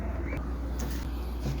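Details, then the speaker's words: Spirit ceiling fan after refitting the loose thermal protector (broken clamp) and cleaning out dust. It now runs with only a low, steady hum; the bearings are fine and there is no more internal rubbing. "pessoal totalmente silencioso os rolamentos estão perfeitas condições e agora não faz barulho nenhum mais"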